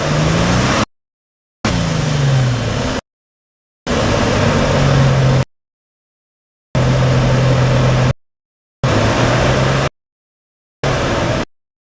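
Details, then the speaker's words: Cold-start 2007 Nissan Xterra, hood open, camera at engine bay: loud low roar like a semi-truck with droning bursts, caused by a broken fan clutch that keeps the fan spinning at engine speed. "So every time I turn the car on and drive it, the car sounds like an 18-wheeler semi-truck, because the fan is basically spinning at the same RPM as the car, which that's what the clutch is"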